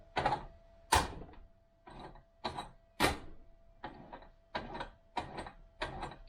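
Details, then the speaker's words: 1971 Triumph Stag "refurbished" gearbox turned by hand on the bench: rough gritty grating bursts in first and second gear, hellishly noisy bearings, a clonk in first and rattling in third and fourth. "bearings are sounding hellishly noisy right we're back in neutral again"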